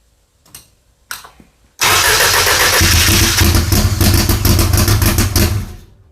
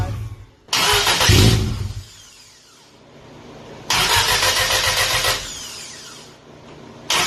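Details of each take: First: Audi four-cylinder drag car, GTX4508R turbo, FuelTech ECU, first fire-up, tune still rich: cranks twice then catches loud and lumpy; only 16 psi oil pressure, seems running on three cylinders, misfire; plan to clean or replace plugs. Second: 1990 Audi Coupe Quattro drag car, GTX4508R 80 mm turbo, FuelTech ECU, after tune rebuilt from scratch: three sharp, clean rev blips each dropping back to lumpy idle, responsive; fired right up, normal running.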